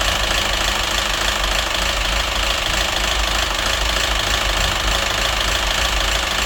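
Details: Citroen DS3 1.6 petrol at a steady idle with a dull, even internal knock, about three per second. It had been run without oil, with hunting revs and rich-mixture, oxygen sensor and phasing codes. Knock unchanged after a part swap; head or crankshaft suspected.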